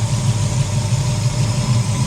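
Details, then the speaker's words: V8 after distributor failure, timing just set with advance on: deep, even low rumble with a steady beat and no misses or knocks; idles smooth and settled. "That's pretty happy, Rod. Pretty happy? I reckon. With the advance on? Yeah, so that's spot on, I reckon."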